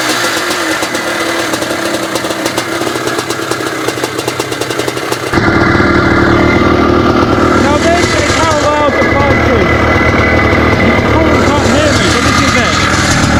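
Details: 1982 Maico 490 two-stroke motocross bike, first start after 8 years standing and a simple carb clean: quick ragged start, then crisp busy crackle settling into a steady idle with a few blips; runs fine.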